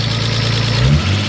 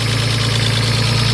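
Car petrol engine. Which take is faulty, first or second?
second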